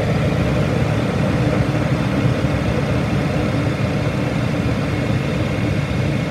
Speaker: so it does sound pretty good